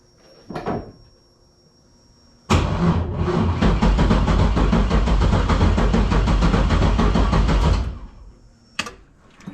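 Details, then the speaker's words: LS-swapped GT86 (5.3 V8 with ported heads and valve job) cranking on jumper cable after battery wire suspected too small, coil pack unplugged: starter chugs slowly about 3.5 beats a second without firing; cranking too slow. "all right i just got the jumper cable on there see if this helps don't think it's turning fast enough"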